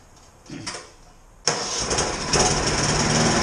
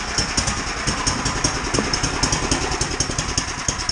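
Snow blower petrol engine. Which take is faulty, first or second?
first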